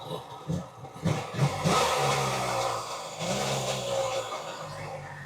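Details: Kawasaki 1100 STX jet ski two-stroke after carb ultrasonic cleaning, new fuel lines and exhaust manifold gasket, oil injection blocked off and running premix: a few uneven pops and stumbles, then it catches and settles into a steady burble, starting and running normally.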